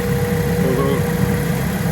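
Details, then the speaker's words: Cheap Ford Ka bought unseen at auction, idling with a blowing exhaust: a low, puffy exhaust note with a faint, thin pulley whine on top. It doesn't seem that bad, but its normal sound is unknown. "Let's fire it up and see what this blower exhaust does. doesn't seem that bad. It's a little wine, but I don't know what this sounds like regularly."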